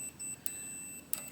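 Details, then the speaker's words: 1966-1969 Harley-Davidson Shovelhead generator model ignition: multimeter beeps when probing from ground to points arm, showing continuity; arm should be insulated from ground, so points are shorted to earth and ignition won't work. "see how it's connecting? You can hear the fucking stupid beep. That's not right. So that's meant to be its own fucking power on it. So that's what's happening. This has an earth. This arm is supposed to be free from earth."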